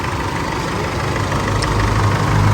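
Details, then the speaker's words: Chevrolet engine with 200,000 km and never serviced, first start after an overhaul with valve seals replaced and everything reassembled: a quiet, smooth low idle with an even hum and no knocks or ticks. Normal idle, the engine sounds very quiet. "ออติดแล้วนะครับคันนี้เสียงเงียบจิ๊บเลยนะเสียงเครื่องเงียบจิ๊บเลย"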